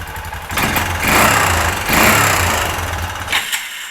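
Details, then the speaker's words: 2005 Kawasaki Bayou 250 started cold after a cheap top-end job, on an auxiliary fuel can, runs in uneven, lumpy, ragged surges; the worn Chinese carburetor is blamed and it runs a bit better once warm: rough running when cold. "yeah see that this problem is the carburetor and we'll get into here in a second because it's one of these Chinese junks but it's in pretty bad shape"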